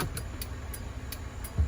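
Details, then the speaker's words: 2000 Acura Integra GSR B18C1, salvage car powered up after sitting six years: crisp even relay ticks about three per second; hazard flashers work at the rear, normal. "See if the flashers work in the back. Let me see if they work in the back. Both of those work."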